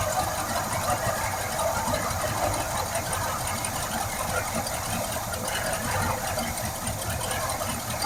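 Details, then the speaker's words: 1971 Cadillac Sedan DeVille big block, parked since 1986, running on fuel poured into the carb: rough uneven chug with some clatter but keeps going; it starts and runs, though not drawing fuel from the carb bowls. "I'm gonna call that a win. She is a runner. All right, I feel good about it. We know it runs."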